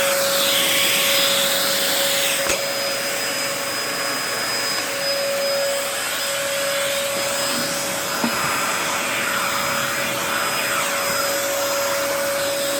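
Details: 2004 Dyson DC14 Animal vacuum, fixed up and on its first run since a new HEPA filter: a constant high whine over the airflow rush that does not change with strokes. The owner says the bearings sound a bit funky, whining after a while.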